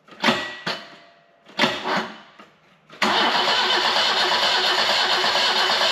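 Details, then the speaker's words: BMW E12 520 barn find at its first start attempt since purchase: several bursts of starter cranking with no catch; spark was confirmed, so the owner suspects a fuel problem: crank no start, fuel starvation suspected. "And no start. Alright, need to go back to the drawing board, check everything over, and try again. Need to check if it's got fuel and stuff like that"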